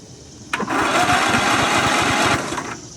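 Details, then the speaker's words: Free Toro Z5000 Timecutter zero-turn mower with Kohler Courage 21 engine, being revived: starter whirs about two seconds with a light, even chugging but never catches; cranks without firing. "Is it getting spark? Let me see if it will do it with. It's the starter's spinning, but I feel like I don't hear anything firing."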